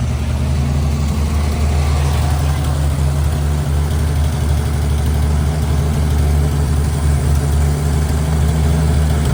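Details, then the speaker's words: 1955 Chevy 3200 truck, first start after about 50 years sitting: deep, steady low rumble holding an idle, smoke easing. Muffler rusted out at the bottom, blowing dust. Engine idling after long storage. "It's idling. There's less smoke. A lot of it's also going to be dust because the muffler is completely rusted out on the bottom."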